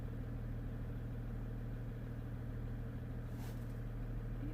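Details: 2015 Jeep Grand Cherokee Overland Quadra-Lift air suspension, compressor already replaced, faults C156E and C15D9: steady low electric compressor hum with no change in ride height; system air mass too low.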